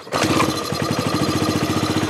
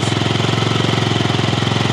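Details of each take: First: 2007 Yamaha C3 XF50 fuel-injected scooter, restoration with replacement fuel tank, weak battery, kickstarted: brief choppy run of uneven firing pulses, then dies; likely carb cleaner left in the injector, more battery needed. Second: 2007 Yamaha C3 XF50 scooter under restoration, replacement fuel tank, on jump charge: after the fuel pump cleared air from the line it fired right up, a fast even putter of about nineteen beats a second with no misses; normal idle.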